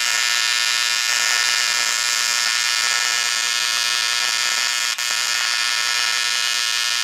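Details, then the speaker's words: ProTIG 200 TIG welder; steady high-pitched buzzing arc with thin hiss and a brief dropout, current too low for the weld, then raised to 200 amps. "so i think that's just not enough current to go crank it up try again"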